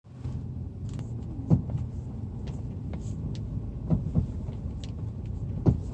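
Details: Over steady road rumble, dull clunks land at uneven moments, like a knock from the suspension over bumps.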